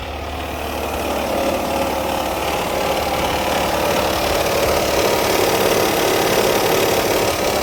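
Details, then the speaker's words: 2004 Hyundai Santa Fe 2.7L, 155,000 miles, timing belt likely original: loose rapid clatter over a steady idle that never settles, likely a slack timing belt slapping; a known issue when belts wear. "yeah that's a pretty common noise I'm pretty confident it's going to be the timing belt the timing belt I should say"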